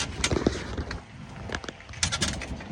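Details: Club Car Precedent golf cart driving along with a Madjax triple track roof; irregular creaks and sharp rattling squeaks over a low rolling rumble, blamed on the riveted roof. Planned fix: replace the rivets with machine screws.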